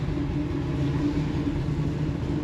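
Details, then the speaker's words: 1971 Chevrolet Nova SS tunnel-rammed big-block V8 with Muncie 4-speed, dead cold, idling slightly fast with a steady, even rumble after the distributor vacuum advance was made to work; previously it would stall. "Yeah. I feel it idling. Idle's a little fast. But before it would die, so we'll see. Still dead cold."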